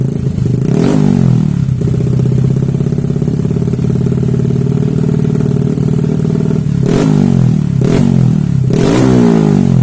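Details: Bored-up scooter engine with 5OC piston and Nmax conrod, valve reliefs cut in piston, run-in completed, throttle blips: crisp even exhaust note climbing cleanly and settling back; healthy freshly built engine.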